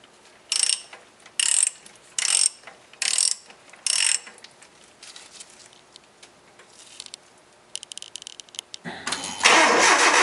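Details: 1996 Nissan KA24E cold start after installing a timing chain tensioner spacer to cure a morning start-up rattle: a few tool clicks, then the engine fires and settles into a steady even run with no rattle.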